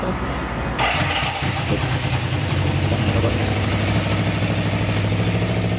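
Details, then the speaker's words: 1974 Honda CB750 four-cylinder with new harness, rebuilt carbs, new plugs and coils, after carb and throttle adjustment: catches quickly, settles into a steady, even idle with clean blips, no stumble or misses, no fuel or oil leaks; running beautifully. "Running beautifully."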